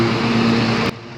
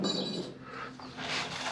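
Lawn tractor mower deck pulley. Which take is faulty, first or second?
second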